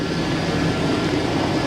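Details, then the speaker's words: 1999 GMC Sierra with a 5.3L Vortec V8 and slightly leaking valve covers. Steady, even idle drone with no knocks, ticks or misses; runs smooth and healthy. "Runs like a top. Sounds great."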